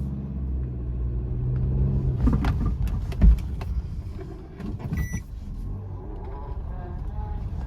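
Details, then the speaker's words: 2018 Suzuki Ignis, about 90,000 km: dull thuds from the front as it rolls off a hump at 30-35 km/h while the suspension extends, a knock from worn lower control arm bushes. "അതായത് cut റോട്ടിൽ കൂടെ ഓടുന്ന സമയത്ത് ഒരു hump കയറി ഇറങ്ങുന്ന സമയത്താണ് ഒരു സൗണ്ട് വരിക."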